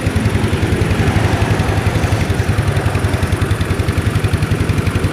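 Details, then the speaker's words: Old Yamaha Mio scooter after replacing burnt ignition stator coil and installing regulator, starts immediately; steady even single-cylinder idle, no knocks or misses; normal idle. "Mantap ya, langsung hidup, mantap, berhasil ya, motor langsung hidup ya."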